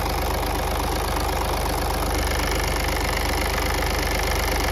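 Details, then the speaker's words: VW Polo with codes P00AF, P2564 and P0045 (turbocharger A module performance): a steady light ticking, about 160 per minute, over an even idle, likely from the turbo boost control solenoid, with slight matching movement in the turbo actuator. "There's a slight little bit of movement in the control solenoid for the turbo. When that's making that noise, I'm getting a little bit in the turbo actuator."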